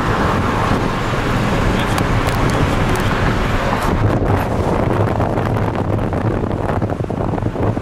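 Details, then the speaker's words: Pontiac Montana minivan at highway speed after front wheel bearing replacement: only steady low road rumble and wind rush, no hum or growl rising with speed; the bearing was the whole problem, now fine. "Tube van seems good. That's all those that's all she was was that bearing."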